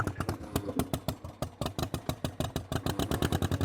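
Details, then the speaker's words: Old Hercules Economy 7hp buzzsaw engine, just started, not yet warm: uneven stumbling pops about eight a second with gaps and doubled beats. Rough running; definitely wants more choke. "Huh. This is interesting. Acts like it's flooding. Okay, that's not enough choke."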